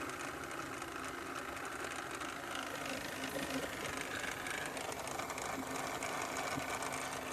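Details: 2013 Volvo XC60 running with a fast, fairly even ticking, about three to four a second, over the engine; source of the ticking unclear.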